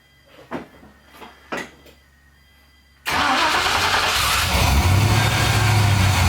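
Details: LS V8-swapped Nissan 240SX, first start after pulling the engine to replace a small faulty part, fuel lines checked leak-free, six quarts of oil: a few quiet clunks, then it catches at once and settles into a steady, even idle; healthy start.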